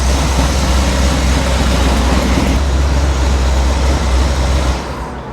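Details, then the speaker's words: 1973 Chevrolet C10 Cheyenne Super 10 big-block EFI: a deep, quick rattling knock about four a second under heavy rumble that rattles on decel as revs fall, with good oil pressure held and valve covers not pulled; owner believes bottom-end noise, not top end. "Well, unfortunately, I believe we do have a bottom end noise. I've not pulled the valve covers. I just don't feel like that's top end related. It holds good oil pressure, but it rattles on the decel."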